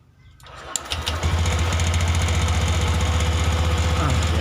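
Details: Honda Beat eSP fuel-injected scooter, after ignition coil replacement: brief crank, catches within a second and settles into a steady, even putter about four beats a second; clean, healthy normal start and idle.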